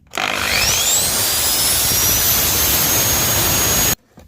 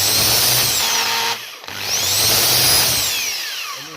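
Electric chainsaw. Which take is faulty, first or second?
second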